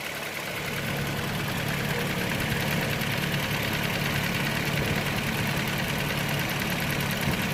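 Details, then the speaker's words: Toyota Land Cruiser GXR 2009 V6 1GR, warm after about ten minutes running: a sharp ticking puff at idle from an exhaust manifold leak on the left side. Epoxy paste failed under heat with a bad chemical smell; welding is needed. "ما يصلح المعجون هذا مع الحراره العاليه ما يمشي الحال بريحه سيئه جدا"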